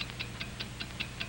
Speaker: it's the ticking of a fine watch wherever you go whatever you do america's fine watch ticks steadily accurately on five ticks every second